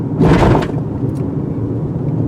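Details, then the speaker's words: 2018 Toyota RAV4 Adventure over speed bump at 25–30 mph: one dull thump then steady road noise, no rattle; larger wheels and tires bounce on sharp impacts, suspension and body normal. "I said you can hear that thumping but you don't really feel like this is very strong body structure very stable not an issue"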